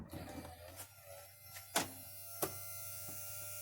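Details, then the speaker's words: 2006 BMW 530xi E61 Touring tailgate hydraulic pump, exposed, cycling after a fluid top-up; it had been sluggish and failed below freezing. Now a smooth, quiet whir at a steady pitch with latch clicks, a much quieter, happier sound, and the tailgate fastens down fine. "i can tell you right now that is much quieter much happier sound fastens down great"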